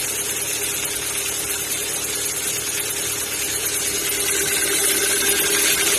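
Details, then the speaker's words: Kia Ceed 1.6 at cold idle: light, even ticking about three times a second that fades as the engine warms; owner suspects valves or lifters, source unconfirmed. "На холодной кипятке как нагреется, так и пропадает. Кажется, как будто как клапана или такие потенки."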